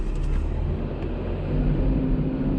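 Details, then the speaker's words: Car engine running with a noise suspected at the belt pulleys: steady rumble with a thin whirring tone near the belt, possibly the idler pulley or tensioner; worn idler pulley bearing noise. "हो सकता है कि idol police है यहां से आवाज आ रही हो सकता है टेंशन से आ रही हो"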